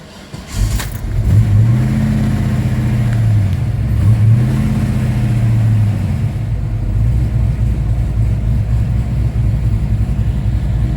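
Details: Chevelle V8 hard start: rough, uneven crank drags on about a second before catching into a steady, slightly lumpy idle; voltage drop when starting noted, cause suspected, not confirmed.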